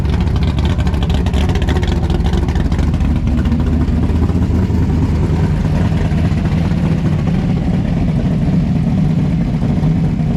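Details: 1957 Chevy pickup with a big-block Chevy V8 at first fire-up on a new exhaust: Black Widow mufflers on a 3-inch mandrel-bent pipe kit. Deep, even rumble with a steady low throb and no misses, knocks or ticks; healthy idle.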